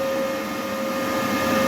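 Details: Charger fan on a 14S industrial drone smart battery charger, after repair of a charger error that stopped charging; now charging fast at 64–66%. Smooth, even mid-pitched hum, no rattles or surging; normal cooling fan.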